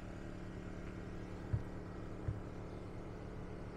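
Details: Honda 1.0 generator on light load feeding a Victron Multiplus; the input current limit was dropped back to 3.1 while the hot water service (about 1000 W) runs. Steady low engine hum with no bogging or strain. Normal running under reduced load.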